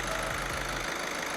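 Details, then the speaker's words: Skoda VAG 1.6 TDI at 180,000 miles, after replacing faulty injectors (suspect reconditioned units). Even, quiet idle with no injector knocking, a smooth steady beat, night-and-day better. Normal idle. "This is what it should sound like. Yeah. Night and day, mate. 100%. Night and day. No knocking noise. You can't hear anything knocking, but smooth as anything."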